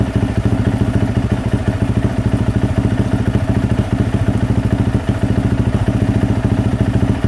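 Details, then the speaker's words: 2024 Yamaha YZ450F single-cylinder at idle after overheating that melted the water spout; drain bolt removed while idling, refilling radiator with water to flush the cooling system. Steady, even thump about 3.5 beats a second, no knocks; healthy idle. "I'm just going to let it run like that for a little bit and kind of just flush everything through"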